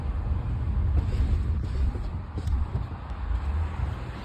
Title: No Grinding Noise 1